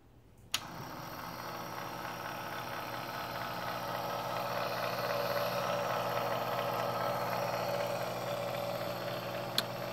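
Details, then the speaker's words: Keurig K150P coffee maker at power-on: a click, then a continuous buzzing hum as the water and air pumps both run nonstop. Only the LCD backlight comes on, and a faulty control board is suspected. "but as you can see the pump both water and the air pump are working simultaneously I do not know what's causing it"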